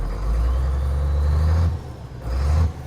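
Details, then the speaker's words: 1981 International semi diesel, long-abandoned, restarted while building air brake pressure: deep, steady idle with a faint turbo whistle, dipping once as if to stall then recovering; sounds healthy. "Dang, she sounds good. Let's hear a little whistle."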